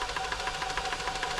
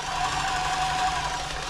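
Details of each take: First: New Home 641 sewing machine, seized from dried oil, being oiled and run: uneven clacking about six times a second as it catches on tight spots at slow speed; still partly seized. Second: New Home 641 sewing machine, seized from drying out in loft storage, now running freely at full speed after oiling with WD-40: fast, even mechanical chatter and steady motor whine, no binding or slowing, like a little train.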